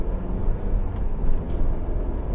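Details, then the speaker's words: 2023 Ford Bronco Everglades (Sasquatch-based, 2.3L turbo four, 10-speed automatic, top on) driving in traffic: constant low tire and road rumble with faint wind hiss, cabin poorly insulated, louder than an MX-5 Miata. "you hear all the cars around you it almost feels like you're in a convertible which it is a convertible but the Top's on so it feels like a like the loudest convertible I've ever been it's louder than an MX Miata"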